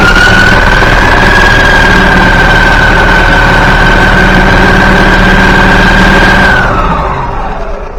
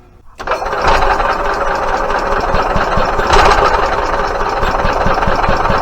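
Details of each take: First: Yamaha G29 golf cart engine, rebuilt, after replacing cam and crankshaft to cure gear-timing noise: smooth even running with constant whistle, no knocking, clean wind-down at shutoff; the noise is gone. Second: Yamaha G29 golf cart engine, rebuilt with rod, piston and rings; uneven mechanical clatter and knocking when running; cam, crank and balance shaft gears mismatched timing, fixed by replacing cam and crankshaft.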